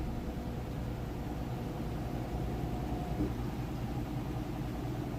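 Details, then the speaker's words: 4-year-old Samsung HE top-load washer on final spin, heavy-duty cycle, heavy jeans-and-towel load; drum gains speed with a smooth, even low rumble, no knocking or scraping. Normal high-speed spin. "And I tried to count, and I think it was 6 or 7, and it kind of gained speed a little bit as it went. If you can hear it there, it's spinning nice and fast."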